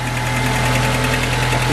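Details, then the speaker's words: 2006 Mercedes A150 (W169) petrol idles smoothly with a steady low hum and no missing beats after bypassing the open-circuit injector 4 wiring; misfire fixed. "See, the misfire stopped. It's not misfiring anymore after bypassing these 2 wires."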